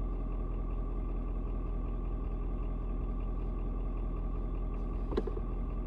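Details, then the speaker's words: Ford Super Duty 6.7 diesel, after a 56°F cold start: low, even idle with steady rhythm after a slight rpm drop, no knocks or misses; owner unsure if block heater turning off; normal diesel idle. "i saw the rpm just dropped just a little bit and um it's like the truck is kind of like i guess the engine i'm not sure if it's like the engine block heater turning off but like i said it drops down just a little bit you know pretty much let me know that hey yeah it's uh it's good to go"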